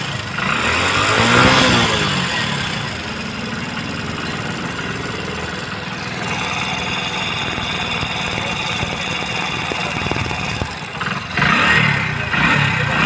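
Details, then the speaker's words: Hero Splendor BS6 single-cylinder motorcycle at idle: quick light tick-tick clatter over a steady idle, loud noise from the valves; valve tappet noise, valve clearance adjustment needed without opening the engine. "तो जैसे कि आपने देखा दोस्तों इसके engine में बहुत ही बड़ा साउंड आ रहा है तो दोस्तों यह जो आवाज है यह हमारे वाल का आवाज है"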